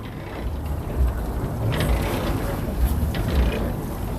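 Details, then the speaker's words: Unloaded tractor-trailer landing gear being hand-cranked up in gear 3 (high speed): low rough even rumble with faint clicks and tension heard, under some wind; winding up normally and faster. "And you see, now you even hear the tension. And you see it's going up a lot faster."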